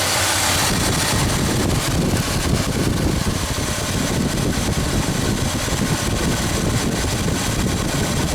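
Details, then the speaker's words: 1976 Ford F-250 390 V8 after Holley 6947 carburetor rebuild and fuel pump replacement, idle mixture screws adjusted for highest vacuum: deep steady burble with even rhythm, no misfire, knock or tick; healthy, settled idle. "so we're gonna go check our other side and as you can hear this 390 is coming along perfectly"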